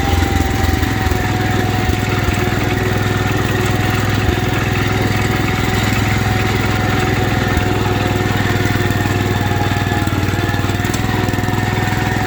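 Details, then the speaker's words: 1972 Wheel Horse Raider 12 lawn tractor, revived after 15 years in a shed, idling in a basement: a steady, even single-cylinder beat with no hunting or dying. It previously died when idled down; it now idles normally. "Remember before we couldn't idle it down because it wanted to die? That's doing much better."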